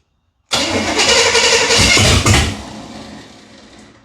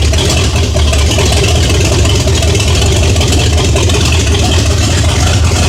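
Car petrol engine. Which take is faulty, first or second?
first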